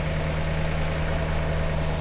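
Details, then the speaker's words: 1948 Buick Roadmaster Model 79 woodie wagon, 320 cu in OHV Dynaflash inline-eight, just revived after sitting, with a fuel leak: low, steady, even idle with no misses or knocks, running on all eight. "but man that thing sounds good it sounds like it's running on all eight yeah you notice how smooth it is"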